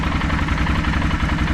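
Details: 2009 Arctic Cat Thundercat H2 1000 SE after starter kit 0837-020 install: short burst of an even, steady idle with no misses, knocks or grinding; engine running normally.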